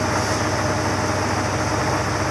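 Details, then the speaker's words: "Ol Green", cold start at 25 degrees in snow, warming up: steady, even idle with a low rumble and no knocks or misses; normal cold idle. "so there you go fire it up going to run for a while gotta let it warm up for a little bit"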